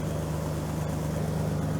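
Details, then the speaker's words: Jeep TJ idling after 15 years sitting and new alternator/belt: steady, even idle with low smooth exhaust drone and a very slight tick, which the owner says is typical of these engines; little smoke. "That sounds like a very little bit of a tick, but that's sort of these engines."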